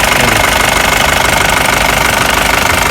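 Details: Mahindra Bolero diesel after the power steering pump was repaired and refitted, with no leaks: steady idle with even clatter pulsing about three times a second and no pump whine or groan; the steering pump sounds healthy.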